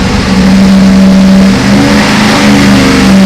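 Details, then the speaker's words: Old V8 on dyno after valve job, seals and guides, full-load sweep 3,000–6,000 rpm: smooth rising clean roar; made 464 hp at 5,500 rpm and 490 lb-ft at 4,100, oil pressure 67–80.7 psi; healthy pull. "oh not bad made 464 horsepower at 5500 it made 490b York at 4,100"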